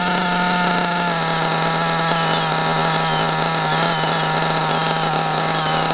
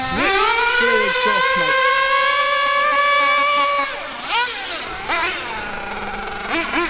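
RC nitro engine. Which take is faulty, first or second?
first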